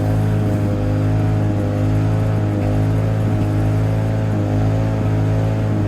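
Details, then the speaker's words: 1987 Lawn-Boy 8073B two-stroke mower, first run after sitting almost a year, new greased capstan rollers fitted: steady even drone at constant speed without surging or missing; hard starting but runs fine. "It's hard starting, but seems to run fine."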